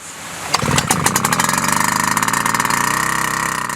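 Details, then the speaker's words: Wick 375 pump two-stroke engine, flooded: choke open, throttle 3/4, several starter-rope pulls purge fuel; it catches and runs with rapid, slightly uneven firing as the cylinder clears. Flooded engine. "we will now demonstrate what to do if the engine is flooded"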